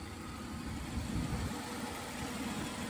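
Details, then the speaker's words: Hurricane Ian flood-damaged Buick Riviera V6 started up: quiet, even idle with steady low hum, no knocks or misses; engine runs nicely. "I kick it over how nice this thing runs"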